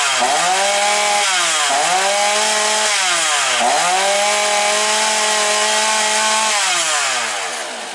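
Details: Alko BKS 40-40 chainsaw, with an overheating complaint, test-run after a piston and cylinder replacement, carburettor cleaning and new crankshaft seals: a sharp two-stroke buzz revs up and drops back cleanly with each throttle blip, no stumbling or bogging; runs properly.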